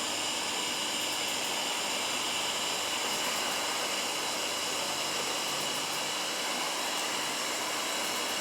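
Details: Firstess (Yeswelder) DP200 in lift TIG mode, 125 amps on 1/8 in, manual shield gas valve: steady, even high hiss with no popping, sputtering or wandering; stable, healthy TIG arc.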